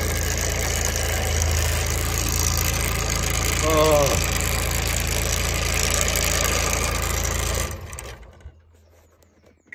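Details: Benford Terex HD100 dumper diesel, which has no forward or reverse drive, started with the lever in the middle: even idle clatter with no misfire for several seconds, then winds down at switch-off. Normal idle.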